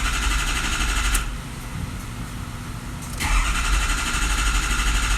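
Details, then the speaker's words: Diesel truck hot no-start during a hot air test after being brought up to temperature. Steady starter cranking with a rhythmic chug that never catches; the number seven injector is found blowing out. Finding: hot no-start from a leaking injector o-ring. "okay so we got number seven blowing out looks like this number seven"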